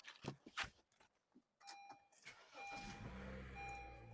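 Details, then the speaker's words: Car with rising and falling, unstable RPM, after the sensor atop the intake manifold was removed, cleaned with WD40 and refitted: a quick crank catches cleanly, then the engine settles into a steady, even idle. RPM is now stable. "Kau orang tengok RPM dah stable."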